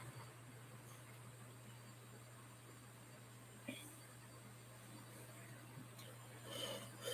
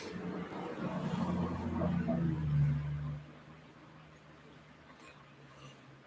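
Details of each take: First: definitely a healthy drive Second: HP laptop hard drive, sat unused, tested in a docking station: low hum for about three seconds, then drops away with no spin-up whine, drive not warming or coming up to speed; owner fears it seized from sitting, or the dock may be faulty.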